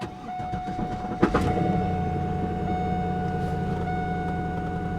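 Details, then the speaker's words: Old Pontiac Firebird at a salvage auction, 143,000 miles, start after sitting. About a second of uneven, iffy cranking, then it catches and settles into a steady idle. A knock is noted right after start. "Okay, the first couple of seconds was kind of iffy. Something's knocking though, right here."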